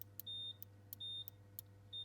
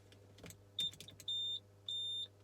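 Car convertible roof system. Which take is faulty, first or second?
second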